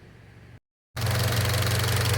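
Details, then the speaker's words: Mitsubishi Lancer 1.6 on petrol and LPG with misfire, after fixing a loose injector 1 connector, damaged coil, valves and module: smooth even idle with light regular valvetrain tick, no stumble or shake. "i sobie cyka równiutko bardzo dobra Myślę że teraz to już będzie okej"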